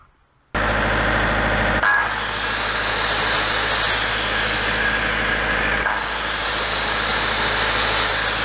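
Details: Large auction-bought diesel generator after the fix, run for a while to test output. Constant, even-pitched drone with no hunting or surging; running normally.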